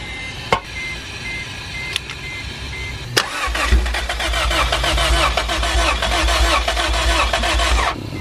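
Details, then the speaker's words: About five seconds of even cranking with no firing after an ECU swap; the noid light shows no injector pulse. Crank-no-start with no injector pulse, with the fault put down to wiring rather than the ECU. "nope all right so the problem is not that we have a bad ECU and most certainly lies in a wiring somewhere"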